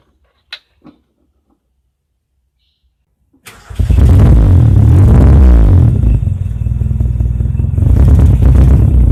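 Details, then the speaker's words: Carburetted car warming up with a stuttering, uneven brebet exhaust beat, a misfire; owner suspects delayed or dirty fuel, dirty carburettor, or spark plugs/points. "Seperti tadi waktu saya panasin, mesin ini di suara knalpotnya aja juga udah nggak enak ya, berebet kayak gitu, kayak ada sedikit permasalahan kalau nggak bensin telat, kotor, karbu kotor gitu ya."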